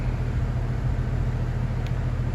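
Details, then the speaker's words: AC unit about three or four years old that is not cooling, running: a heavy, steady low hum with nothing else on top. The technician calls it the telltale noise of a bad 45/5 run capacitor, with the compressor straining against it. "oh there it is that's the telltale sign telltale noise of a bad capacitor"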